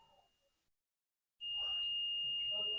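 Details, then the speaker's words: 3055-transistor amplifier checked with a meter before applying supply: quiet gap, then a solid continuous beep across the transistor leads; shorted transistor, with two BC548s and one BC558 found bad and to be replaced. "देखिए यह resistance य transistor भी हमारा shirt दिखा रहा है"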